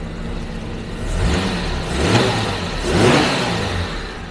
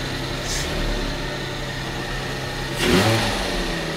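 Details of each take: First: 1974 Jaguar XJ12 carbureted V12, after six years sitting, new plugs, cap and rotor, timing set at 10 degrees, before carb tuning, not fully warm: smooth even note, clean throttle blips, no misfire; idle slightly low, runs healthy. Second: 1974 Jaguar XJ12 carbureted V12 with four carbs, revived after six years sitting with new plugs, cap and rotor: fast steady idle around 1100 rpm with no hunting, idle set too high before carb balancing.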